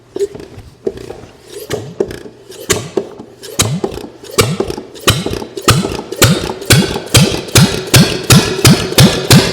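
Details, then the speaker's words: Homemade engine with cleaned pistons and rings, no carburetor, gas squirted into intake: slow, uneven firing picking up to about three beats a second, each pop soft and weak; engine lacks compression; low compression. "like I said I it it doesn't have a whole lot of compression"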